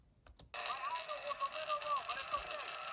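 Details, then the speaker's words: 2016 Lenovo ThinkPad T460s: built-in speakers play thin, harsh, super crackly and distorted audio; hardware fault, original speakers deteriorated, fixed by replacing the speakers. "you hear how bad that sounds super crackly very distorted sounds terrible"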